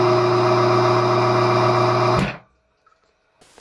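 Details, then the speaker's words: 1962 Powermatic 90 lathe original three-phase motor run on 110 V single-phase with a dishwasher-motor capacitor start: steady even hum, starts right up, jumps at start, shuts off quickly; possibly lacking torque. "it starts right up you don't have to get it going it immediately starts up I notice it does turn off quickly and it does jump in the beginning but it starts right up"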